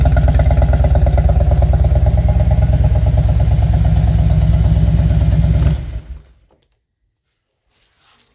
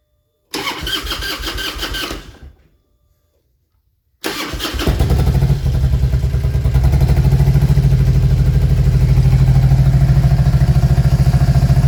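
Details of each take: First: 2000 Harley-Davidson Road King V-twin, aftermarket exhaust, no programmer, after new NGK Iridium spark plugs: even, regular idle lope about three beats a second, no skips until shut off; spark misfire fixed, seems slightly rich. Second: 2000 Harley-Davidson Road King V-twin: cranks, catches briefly and dies, restarts into a lumpy, uneven, rough-running beat.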